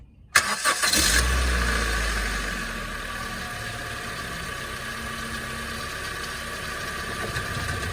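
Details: 2015 Honda Civic started after an oil and filter change, checking for leaks: starter cranks briefly, engine catches and settles into a smooth, even idle with no knocks or ticks; runs healthy.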